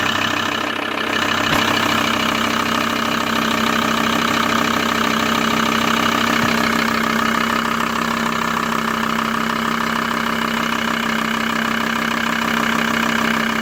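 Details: Loud, steady diesel idle of a VW T4 (ACV engine) with a regular clatter about twice a second that never changes; abnormal engine noise at idle, cause unidentified.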